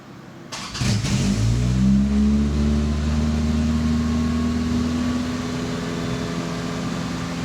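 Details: 1984 Toyota Tercel 4WD carbureted engine, started cold after replacing cracked vacuum lines, PCV valve and air grommet: brief cranking, then a fast, steady elevated idle; it normally idles about 2,000 rpm warm and over 3,000 on choke.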